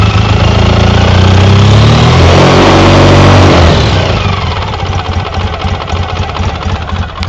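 Deep, loud idle with a steady, sharp knock nearly four times a second that keeps its beat as revs drop: an engine knock of unknown source.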